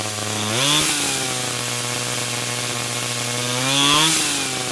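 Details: 49cc/47cc pocket bike two-stroke after carburetor replacement for a non-running condition: blips up twice and drops back to a steady, clean idle without misfires; runs healthy.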